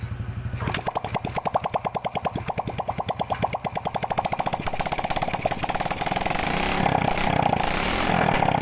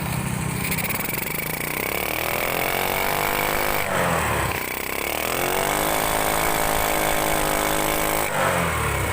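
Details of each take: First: Grand motorcycle with the exhaust removed, after fixing carburetor spit-back: starts, settles into an even putter, then climbs smoothly on throttle with no popping back; power and sound back to normal. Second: Grand motorcycle, engine running, throttle blipped repeatedly: pitch rises and falls raggedly, struggling, with the carburetor spitting back instead of drawing in; cause found to be the exhaust (knalpot).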